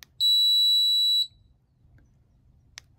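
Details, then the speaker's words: RVLock keyless RV door handle during remote fob programming, with the fob switch on and fob learn pressed. One clean high-pitched beep of about a second in a quiet room: confirmation that the lock has learned the fob. "that beeped like that so now it's it's remember the fob"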